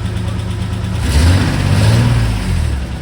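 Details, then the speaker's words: 1985 Nissan 300ZX (Z31) manual after new cat gaskets fixed exhaust leak and cat was gutted: deep note swells smoothly on light revs and eases back, no ticking or puffing; healthy revving. "more it's it's pretty phenomenal"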